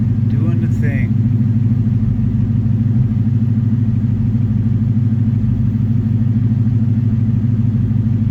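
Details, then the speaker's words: Ford Coyote V8, warm after a drive following the cam phaser fix for a timing chain chirp and rattle: a steady idle with a fast, light, regular injector tick over a smooth low rumble and no chain noise. Normal warm idle. "we got it out for a drive put some actual temperature into it and she is quiet just the normal noises injector's ticking away"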